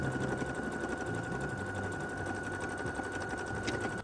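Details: Singer 6700HD that showed an Error 1 code, after repairing a damaged brown wire on the motor control connector instead of replacing the motor: fast, even stitching chatter at steady speed with constant motor hum, no stalling or grinding; running healthy.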